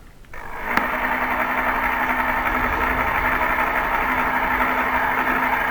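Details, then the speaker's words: 1960s Aerokits Sea Nymph model boat sailing on a lake, original motor possibly a Marx Monoperm, still works very well: steady, even electric hum with faint constant whine and water hiss. Normal running. "with regards to the motor it's crawled into my brain that it may be a Marx Marx mono perm despite its years it still works very well"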